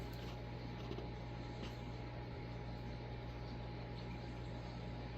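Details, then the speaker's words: Vintage late-1970s/early-1980s Casablanca Victorian ceiling fan with K63 motor, heard from right under it: quiet, even hum with a faint steady tone, no ticking or rubbing; bearings sound good enough to just oil, slight wobble likely from warped flywheel. "It sounds like the bearings are still in good enough shape where I can just oil them."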